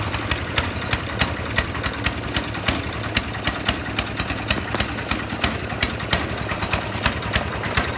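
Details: Snowblower engine idling with sharp uneven booming pops about three per second through the running note; misfiring, cause not yet known.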